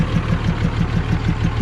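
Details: 2006 Dodge Mega Cab with 5.9 Cummins diesel: idle with an even chuffing pop about six times a second through the intake; owner suspects a bent or burnt valve pushing air back, though it runs and pulls well.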